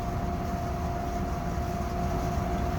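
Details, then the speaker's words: Furnace during startup, filmed close to the burners, inducer suspected of worn bearings: steady, heavy low rumble with a faint constant hum, no rhythm; loud rumbling, owner unsure if burners are the cause. "I'm not sure if that's just the I'm sure if that's the burners or or what"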